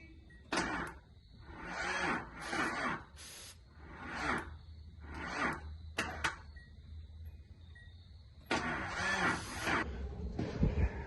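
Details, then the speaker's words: 1983 Datsun 280ZX that sat 18 years, on starting fluid, known bad starter: short sluggish cranking bursts with pauses, never catching; starter too slow to start it, airflow meter flap also suspected. "Another thing, I know that starter is bad. It doesn't sound like it's gonna turn fast enough to get that motor started."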